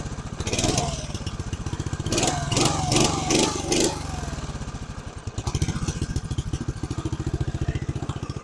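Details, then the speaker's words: 1982 Mustang riding mower, 8 hp Briggs & Stratton single, sat for years; carb low and high screws set 2.5 turns out, burning a little oil. Uneven thumping, hunting and stumbling; runs rough, still needs tuning. ">> Sounds like it needs to be tuned up still."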